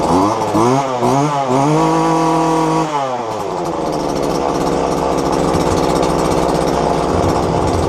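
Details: Roadside-dumped McCulloch two-stroke strimmer after fuel lines replaced and reassembled: pull-start rasps, then catches and holds a steady high buzz, running cleanly and evenly.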